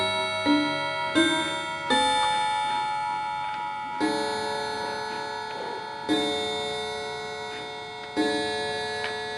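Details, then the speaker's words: Antique Davison Bros London chiming clock after being switched from silent to chime: it caught up by itself around 3:00 with nothing adjusted. Bell notes now strike in a steady, proper sequence. Normal chime. "so you see that everything is caught up I haven't changed anything"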